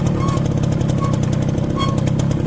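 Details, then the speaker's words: Motorcycle rear drum brake with newly replaced brake shoes: short squeak repeating about every three-quarters of a second, roughly once per wheel turn, over engine drone. "ये देखा आपने कितनी बुरी आवाज़ आती है कि आप लोग खुद अकेले जा रहे हों, फैमिली साथ हो, अजीब अजीब आवाज़ें पिछले व्हील से आती हैं।"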